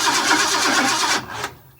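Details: 1958 Ford F100 with a newly installed fuel pump, regulator and gauge, cranked with the coil off to build fuel pressure and check the carb for leaks: steady rhythmic starter churn for about a second with no firing.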